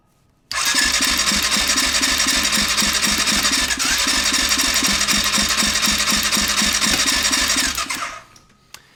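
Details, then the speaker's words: Suspected 2020 CF Moto 400 ATV, sold as blown engine: compression test at wide open throttle, quick even cranking about four beats a second, weak pulses, no firing; gauge reads only 30 PSI, low compression. "Yeah, we got a whopping 30 PSI. So, not looking good on the $350 CF Moto here,"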